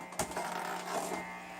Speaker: amazingly it turns out that this tv lg tv in the living room causes this noise